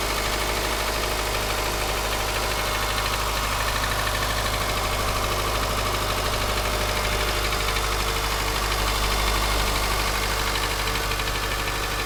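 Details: Subaru Forester SG5, EJ203 SOHC 140 hp naturally aspirated, cold start at idle: dull, irregular knock over the engine note, louder left or centre from the front, fading after 3–4 minutes and inaudible warm.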